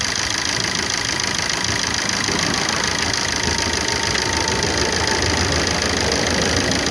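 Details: 2009 Opel Corsa D 1.3 CDTI 75 hp diesel idling at start-up: hard, fast clatter with steady ticking. The owner finds it very noisy and asks whether it is a problem; cause unknown.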